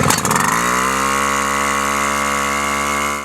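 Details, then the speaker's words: Wick 280 fire pump small engine, pull-started with choke open in run position after priming; starter rattle, then fires and holds a steady high buzzing run before shutting off; normal start and run. "With the choke open in the run position, pull the starter rewind until the engine starts. This should not require more than 2 or 3 pulls."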